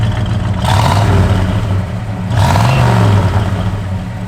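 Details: 1967 Chevrolet Chevelle SS, 454 ci with Holley dual-feed 4-barrel, Weiand intake, HEI, factory exhaust manifolds, dual exhaust, 400 Turbo Hydramatic: deep, lumpy big-block rumble swelling cleanly through two throttle blips, no knocks or rattles; healthy, good oil pressure.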